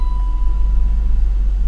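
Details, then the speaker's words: BMW E39 after the fix for a no-start and rough running with code P0335: it starts right up and holds a deep, steady, even idle with no misses or ticking. "go and start it start right up no problems at all"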